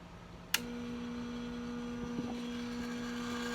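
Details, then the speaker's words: Sta-Rite Max-E-Glas II pool pump that stopped filtering: switch clicks, then steady low buzz as the motor hums but never spins up. "right so you go in you can hear there's a slight buzzing there might be another slight buzzing later today but nothing's happened"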